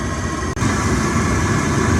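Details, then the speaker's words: 2 kW Chinese diesel heater on diesel, fan at top speed during a fuel-consumption test: loud, constant rushing roar from fan and burner at unchanging pitch, likened to the Starship Enterprise; normal running at full power. "It sounds like a Starship Enterprise, doesn't it?"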